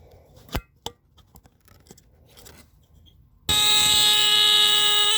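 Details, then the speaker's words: Old battery-powered Tanita Mfg. Co. No 2 heat alarm, tested with the bottom test strip after its cover came off: after handling taps, a loud steady horn blares evenly, same lower pitch as a Star alarm; works. "I'm pretty sure if I put a battery in it it should still sound yep makes the same sound as a star alarm actually the same pitch same lower pitch"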